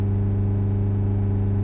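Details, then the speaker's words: Nissan Juke 1.5 dCi diesel with a badly blocked DPF (P0471, 27 g of soot) on a forced service regeneration, warmed up: a smooth, steady hum held above normal idle with no hunting while the revs are held up. "Start it up, do the service regeneration, push OK, and then what that will do, that will hold the revs up."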